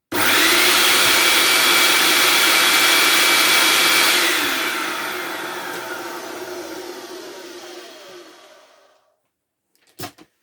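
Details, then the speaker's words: Hoover Turbopower 2 vacuum motor after oiling the rough bottom bearing and top bearing, test run before reassembly: still very loud but steady roar at even speed with no surging, winding down smoothly; now sounds as a Turbopower 2 should. "So it's still very loud, but it does sound a hell of a lot more like a Turbopower 2 should sound."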